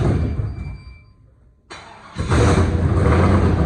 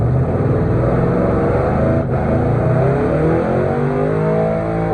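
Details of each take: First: Gen 3 5.3 V8 from an 01 Silverado, ported and polished 862 heads, 550 springs, Summit stage 7 cam: quiet, short crank, then fires into a loud choppy cam lope; normal start-up with performance camshaft. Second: Gen 3 5.3 V8 from an 01 Silverado, ported and polished 862 heads, 550 springs, Summit stage 7 cam, during break-in: held at high revs with stuttering cut-in/cut-out, bouncing off the rev limiter.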